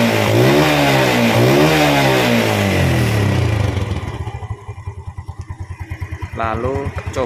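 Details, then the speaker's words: Yamaha Vega/Jupiter/Mio-type motorcycle engine after valve clearance adjustment by running method, idle set around 1200 RPM: revs rise and fall cleanly, then steady even idle without valve tapping; normal running. "OK, bro, I I think it's quite okay, that's it for this video, how to adjust the valve using the running method as I explained in detail earlier."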